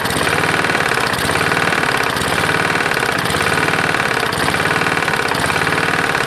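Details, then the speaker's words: Roadside-salvaged Lawn-Boy side-valve mower engine, 149cc, with dirty old oil, first start after carburetor work: heavy uneven knock about once a second at idle, not louder when lever pulled; owner unsure whether rod knock or something else. "that sounds like it's got quite a knock so when you pull this in nothing gets louder so i'm not quite sure"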